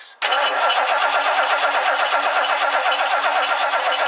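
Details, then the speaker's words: 1969 Lincoln Mark III after belt tightening and distributor cleaning: even starter cranking two to three turns a second that never fires; no spark at points, owner suspects the worn coil failed. "I got no spark this coil is in rough shape I wonder if the coil just uh totally gave out"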